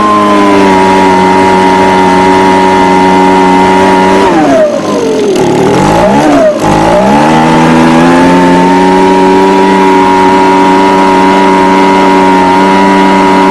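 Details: Echo ES250 (PB250-type) handheld blower two-stroke after throttle repair: high steady buzz, throttle dips and climbs back cleanly around five seconds, then holds even; normal running.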